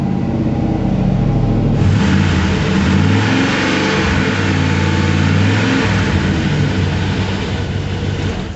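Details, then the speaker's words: V8 revs up and settles with a smooth, even exhaust note, no ticking or puffing; no exhaust leak, smoke only from grease on the pipe. "So, there was no exhaust leak. He's just being nice. I'm not being nice. There's no big exhaust leak. Sounds cool out the exhaust."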